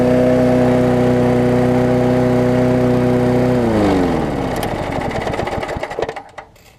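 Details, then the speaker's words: Mower engine moved from a worn Sycamore onto an aluminum-deck Craftsman, first start with spilled oil burning off: steady even single-cylinder drone, no misses or knocks, smooth wind-down at shutoff; runs great. "So there we go, running great."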